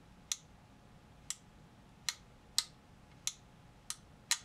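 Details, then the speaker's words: Old Weller D550 240/325 W soldering gun with a damaged line cord, before repair: sharp, crisp clicks of its two-stage trigger switch, about seven in under five seconds over a quiet room; the switch double-clicks normally. "if you hear that switch tick it's got"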